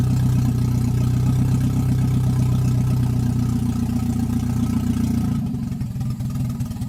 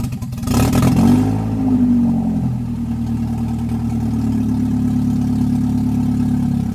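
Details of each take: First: Toyota 1NZ-FE that would not idle on its own, idle air control valve looked fine, throttle body port suspected: catches and settles into a steady low idle hum, tone loosening near the end; normal idle. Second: Toyota 1NZ engine in an MR2 that wouldn't idle on its own, now running; quick blip then revs sag, rough and hunting, nearly stalling; owner suspects idle air control valve.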